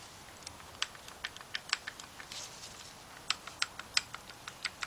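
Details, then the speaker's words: 2011-2019 Ford Fiesta engine teardown, removed piston number 4 rocked by hand: sharp irregular metal-on-metal clacks; piston wrist pin play, piston shot. "The only thing I'm doing is taking the piston and I'm going back and forth like this. Hear that noise? That thing is shot."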